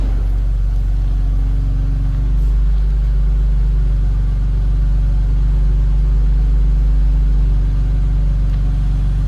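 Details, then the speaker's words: 2000 BMW Z3 convertible, just over 80,000 confirmed miles, no check-engine lights, at idle: steady, even low-pitched hum with no ticks or stumbles; six-cylinder sounds good, normal idle. "it's a nicely equipped 2000 model here top of the dash nice shape sounds good"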